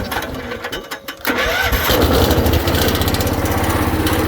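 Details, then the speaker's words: 1979 Case 224 hydrostatic riding lawnmower, mechanical fuel pump, cold start with just a bit of choke: a few cranking turns, fires quickly into a quick even single-cylinder beat with no stumbling; healthy start. "Alright, started up here. Shouldn't even, just a scotia choke to get this thing going. Shouldn't need much."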